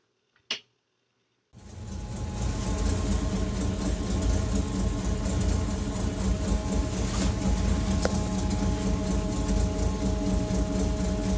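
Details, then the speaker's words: REO M-35 petrol truck with blown head gasket, warmed up at idle: uneven, stumbling misfire, needing throttle blips to keep idling at stops. "So if you drove it around for a while and then you stopped at a stop sign, you would have to keep blipping the throttle in order for it to continue to idle, in order for it to continue to run while you're sitting at the stop sign. But you can clearly still hear the misfire."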